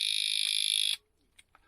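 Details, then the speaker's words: Van disc lock alarm just locked on after fumbling with its button and the wrong key: shrill, rapidly pulsing high beep for about a second, then silence; alarm arming. "And what had happened was, it's almost impossible to disarm this bloud thing. It's a pain in the backside."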